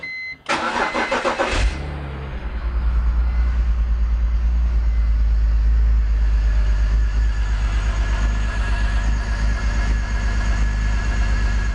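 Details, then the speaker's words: BMW E46 M54 engine after oil catch can install, first start: cranks, catches, then lumpy, uneven stumbling idle; misfire from vacuum leak because the crankcase vent tube O-ring did not fully seat. "okay so I think I figured out what happened all that misfiring it's caused by the fact that that O-ring didn't seat all the way in when I was pushing that tub in"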